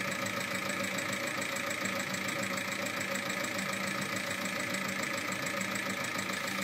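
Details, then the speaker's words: Seat Altea 1.9 TDI 105 hp diesel, 175,000 km, idling: fast even ticking three to four per second from the top end; worn hydraulic tappets and camshaft lobe eaten, caused by using oil more viscous than specified. "feiceann tú conas a fhuaimeann sé gan ach 175 míle ciliméadar fíor, feicfidh tú níos déanaí cén fáth go bhfuaimeann sé mar sin"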